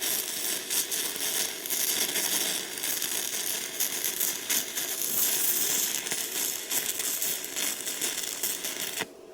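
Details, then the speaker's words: Gasless entry-level MIG welder at about 90 amps, after it popped a fuse at an earlier setting: loud, busy, fast crackle with sharp pops and no lulls; arc seems to be running a little too hot. "Yeah, that might even be a little too hot."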